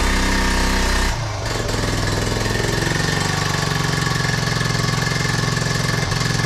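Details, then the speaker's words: 1976 Honda Z50J1 Monkey after ignition points work; it starts straight away, then settles into an uneven, stumbling idle with irregular beats. It is still running badly. "Damn it! Still running bad. Well, that is a shame."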